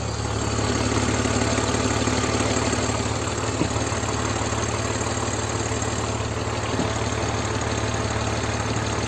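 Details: BMW 325Ci E46 run 500 km while 2.5 L low on oil, idling: fast, light, even ticking from the top of the engine, a lifter tick likely from oil starvation; a Liqui Moly additive later fixed it.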